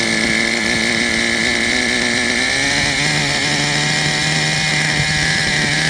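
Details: Traxxas Revo 3.3 nitro RC truck engine: high buzzing two-stroke note, steady with a small rev drop partway, no misfire. Engine healthy; truck needs new transmission, spur gear missing teeth, starter motor and one-way bearing.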